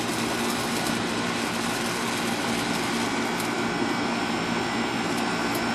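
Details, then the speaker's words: Air conditioner outdoor unit after replacing a swollen capacitor and the contactor, previously fan and compressor not starting: even, unbroken condenser fan rush with a low steady compressor hum underneath; running smoothly, bad capacitor confirmed. "all right folks and now you see it running so sure enough it was a bad capacitor"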